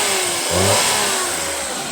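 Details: Toyota Wigo 2014 freshly overhauled engine being revved; smooth, even rise and fall in pitch with no knocks or ticks; engine sounds healthy.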